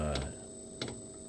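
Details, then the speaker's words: Diesel heater restarting after running out of fuel (code E08), on a lithium battery in a cold room: soft pump clicks about every 0.7 s over low hum, no steady burner roar; combustion not sustained, owner suspects glow plug still warming and cold diesel. "it stopped firing, so I think the glow plug still needs to warm up. Sure, the diesel is cold going into the chamber."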